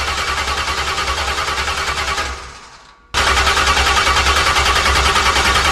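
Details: Freshly built 383 stroker small-block V8 in a 1970 Monte Carlo at first fire-up in the car: loud, lumpy roar with a choppy cam beat, dipping almost to nothing for a moment then catching again; running fine.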